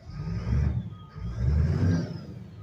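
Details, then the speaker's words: Caterpillar turbo diesel in a 2000 Harney Coach RV idling very cold, grid heater on, water temp under 100: deep steady rumble rising and falling slightly with a faint whistle, possibly turbo; normal cold idle. "Water temp 100. Actually, it's less than that. So yeah, she's cold. Very, very cold."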